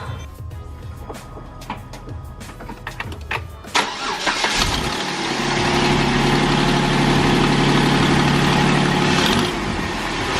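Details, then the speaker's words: 2008 Jeep Wrangler Unlimited 3.8L after alternator replacement (was making electrical whine with faint burning smell; tensioner pulley change didn't help): engine cranks, catches and settles into smooth steady idle, no whine; fixed. "so there's so there's no sound coming from it that's off you alternator"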